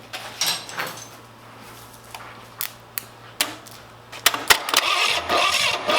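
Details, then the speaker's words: Abandoned Cadillac 331 V8, after its starter ground was improved: scattered pops and coughs, then a ragged, uneven roar; sputtering start that blew debris and corn pieces out of the exhaust. "not a good sign when they're shooting out the exhaust"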